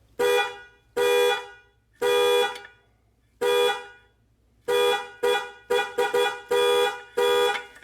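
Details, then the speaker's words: Chevy/GMC truck with 6.0L and inoperative horn, horn wire back-probed to ground to test wiring to the relay; loud, clear horn blasts in repeated bursts, wiring down to the fuse box is good, fault is up in the steering wheel. "if the wiring from this connector all the way to the relay is good our horn should work so did you hear that"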